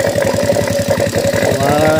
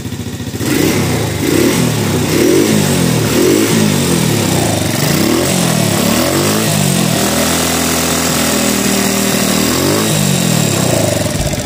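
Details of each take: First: Honda Revo motorcycle engine idling after reassembly, oil flowing up: fast rough pulsing clatter of tappet noise as valve clearance is still set loose; the bike's refusal to rev was traced to a worn camshaft. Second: Honda Revo motorcycle after repair of worn camshaft (noken as) that stopped it revving: engine now blips up and down freely, oil flowing, valve clearance still loose and ticking; normal revving restored.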